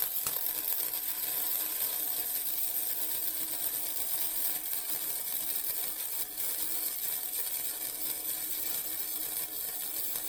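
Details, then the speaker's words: Vevor MIG 130 flux core welder set at 45, flat beads on thin steel: steady crackling hiss with uneven sputter; the bead ran cold at the start, so the setting was slightly too low. "okay I was a little cold there right at the beginning but as I got going I got a little bit better"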